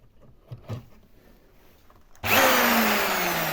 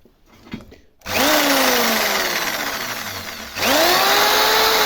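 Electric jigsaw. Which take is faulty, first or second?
first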